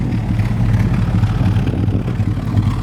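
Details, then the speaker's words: 1966 Plymouth Barracuda V8, automatic, believed original motor, new glass packs and tailpipes, heard from the tailpipe: throaty, even low burble with steady loping pulse; normal idle, transmission shifts good, decent power. "and then transmission shifts good and it runs good it's got pretty decent power"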